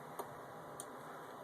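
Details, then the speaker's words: VW passenger HID headlight: two sharp relay clicks over a steady hiss, city light on but projector HID beam stays dark. "you can hear the relay clicking and as you look you can see oops just the city the city light as they call it but fortunately not the actual headlight"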